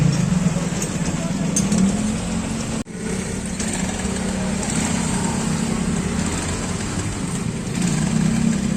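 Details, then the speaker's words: Small motorcycle with a clattering engine, started by kickstarter, before a tune-up: fast, uneven mechanical rattle over the idle, steady with one brief dropout; a tune-up is planned to get rid of the clatter. "Oh ayan oh tumutunog tumutunog yung makina Ayan oh mayaning ng konti"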